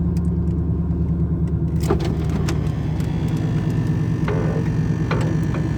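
Warm engine idles with a deep, uneven rumble and occasional stumbles in the beat, pointing to a rough idle with the cause still unknown.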